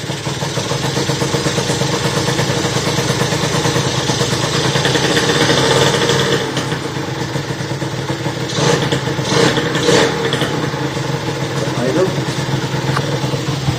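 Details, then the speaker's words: Motorhispania RX50 Racing (Peugeot XR6) two-stroke moped, short start-up after side stand replacement with cooling not yet sorted: idles unevenly, revs hunting and surging, barely stays running and seems to want choke; runs rough, cause unknown. "Yeah, it does run. Doesn't run great though. It seems to want a bit of choke just to keep running."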